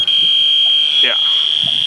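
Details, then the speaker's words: 2010 Honda Fit with the AC system emptied of freon, panel removed near the condenser: the refrigerant sniffer gives a steady piercing high-pitched alarm, showing a nasty leak at a rock-dented condenser. "That means it's a nasty leak."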